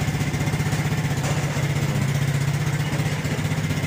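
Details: Suzuki Smash 115cc motorcycle after a one-click start: even, steady idle thump of about four beats a second, no misses, ticks or rattles; healthy small single idling cleanly.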